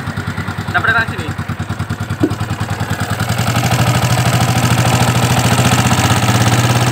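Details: Yamaha Vixion motorcycle at idle, kick-started: fast light tick about three per second over an uneven, rough engine note that firms slightly. Customer complains of rough, ticking noise; cause not yet found.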